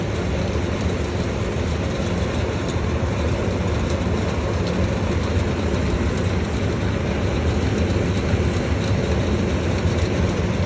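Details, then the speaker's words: Vintage early-1970s Berns Air King 23-pint R-12 dehumidifier running in a room at about 63 °F with its coil icing: a steady low drone with a constant buzzy rattle. The owner doubts the central fan motor is the source, so the loose part is unknown. "fan motor is right in the middle of it, which I thought was what was rattling, but I really don't think it is."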